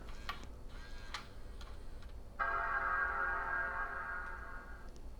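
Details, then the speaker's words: G4 Apple laptop with no hard drive installed: quiet clicks, then one clear chord rings for about two seconds and fades; normal startup chime, screen comes on and looks for an OS. "makes the bong sound. And the screen comes on."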